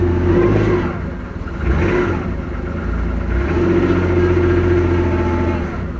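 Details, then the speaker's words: Car (the RT) just revived, quiet at idle, then a rough, uneven knocking joins the low drone when put in drive against the brake; engine knocks under load. "And she's knocking with a load."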